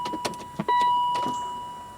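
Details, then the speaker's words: 1998 BMW 740iL after new fuel pump, before first start, engine off: brief steady high whir for a couple of seconds at key-on, then fades; fuel pump priming normally. "Let me hear if I can even hear the pump. Oh, hey, I hear a pump."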